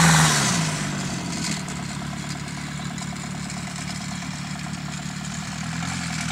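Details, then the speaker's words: Ford Transit diesel, after a hard cold start on ether and jump leads: rough idle with dry clattering rasp, no turbo whistle; turbo seized from oil starvation, large amount of oil lost on the high pressure side. "that's not good that turbo is not selling happy I actually seized on me"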